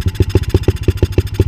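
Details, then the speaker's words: 125 cc dirt bike: slow, lumpy single-cylinder thumps at about six or seven a second, barely ticking over; owner suspects an intake problem with blowback. The idle speed is set too low. "Elle tourne vachement bas, puis j'ai pas de tournevis, c'est galère."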